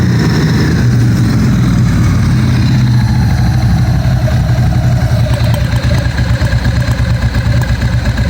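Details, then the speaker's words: 1997 Ducati 750SS with new Keihin FCR 39 carburetors, first start, cold and not fully warm: lumpy uneven V-twin idle with occasional cough; air correction jets probably need adjusting. "You can also hear that it's coughing a little bit and that's uh probably the air correction gets need adjusting a little bit."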